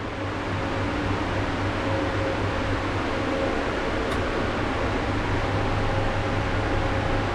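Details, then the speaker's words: Balcony exhaust fan with asynchronous motor on new speed regulator: steady even whoosh with soft low hum, no drone or rattle; running normally. "ролика принципе нормально вибрации такое шума нет"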